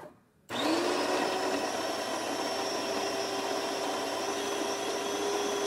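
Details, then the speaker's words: DeLonghi Magnifica espresso machine after replacing failed transmission that jammed the infuser, plus new generator gasket, cleaning and descale; test brewing one espresso shot; motor kicks in to steady even whirr, no catching or straining; normal brew cycle. "Start with one shot of espresso, then some hot water and steam."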